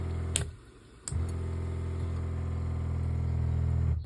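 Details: Van water system, pump switched on from the control panel: steady low hum from the small pump motor building pressure, even and smooth with no knocks or rattles; pump running normally.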